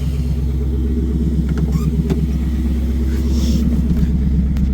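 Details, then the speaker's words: A 1990s Pontiac Trans Am WS6 with the LS1 V8, 6-speed manual, likely SLP catback, 63,167 miles, ~60 psi oil pressure at idle. Deep, steady idle, healthy; at cold start it surges and has piston slap that typically fades when warm. "But yeah, other than that, a very clean running LS1. Sounds healthy."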